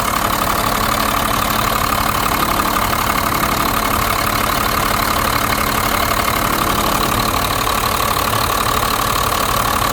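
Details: 1991 Blue Bird bus, 5.9 2-valve diesel, after replacing fuel lines and bleeding air from lift pump and injector lines: steady even diesel clatter at idle, no stumbling, hunting or misses; running smoothly, sounds healthy.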